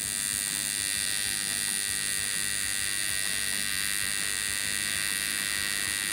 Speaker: so that humming and kind of buzzing sound you were hearing that actually is the alternating current where it's flipping negative to positive